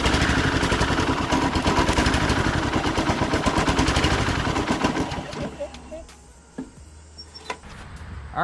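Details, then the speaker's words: Husqvarna walk-behind string trimmer, small two-stroke, sat for years, after carburetor cleaning: fires in fast choppy uneven stutter about five seconds then dies; rough running from dirty carburetor, more debris suspected, fuel filter planned. "so we got her fired up but the carburetor still doesn't sound right so there might have been some more junk in there that we missed obviously"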